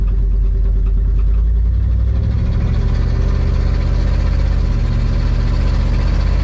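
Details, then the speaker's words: 1974 Dodge W100 Power Wagon V8, revived after sitting since 1983: a deep, steady, smooth idle with no stumbles, with an exhaust leak before the muffler and no blow-by. Normal idle, and no sign of a burnt valve. "it's actually really smooth now big exhaust leak right here before the muffler sounds pretty good it's running too good to have a burnt valve"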